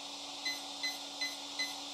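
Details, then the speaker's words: ESC without program card, RC car: four short, even high beeps about 0.4 s apart over a quiet hum, confirming item three low-voltage cutoff set to value four, 3.0 V per cell. "okay four beeps as you remember on our table is the value that we set it to four is three point volts per cell and that's for item three low voltage cutter"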